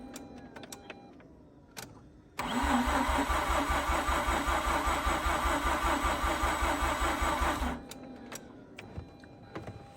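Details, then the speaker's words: Mazda RX8 rotary after 2.5 years sitting: about five seconds of labouring cranking at roughly two and a half pulses a second, never catching; battery at 12.2 V too weak, bigger jump box may be needed, owner mentions a faster starter. "okay now I'm detecting that things are becoming a little bit weaker uh I'm going to check the voltage showing 12.2 volts I made need to hook up um my uh bigger jump box to it and try it again"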